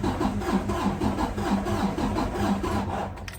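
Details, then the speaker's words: 2017 Freightliner Cascadia with DD15 diesel during a relative compression test: uneven, labored cranking at about three pulses a second with the starter dragging. Cylinders 4 and 6 showed low compression, and the truck is due at least a valve adjustment. "You hear that struggle? That's not good, guys."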